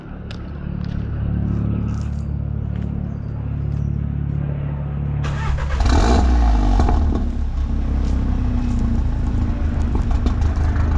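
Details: VW Golf Mk7 R, stage 2, after fixing a rattling exhaust (new back box, brackets bolted up, tips refitted): petrol engine cranks, flares briefly, then settles into a steady deep idle without rattles; normal exhaust note at idle.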